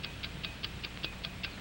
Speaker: that's right the taking of a watch an accurate watch ticks five times each second like the engines of airplane and motor car like the generator like the human heart